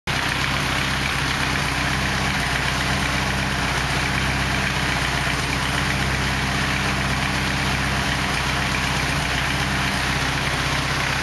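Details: 240 KA-T engine at idle: an even, rumbling idle with a faint irregular tapping underneath, an abnormal engine noise whose cause is not pinned down.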